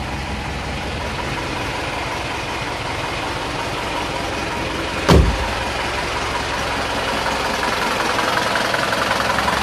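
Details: Isuzu Panther diesel at operating temperature after a drive, oil (Deltalube) run about 6,000 km: even clatter at steady idle, no knocks standing out or speed hunting; engine sounds in good shape.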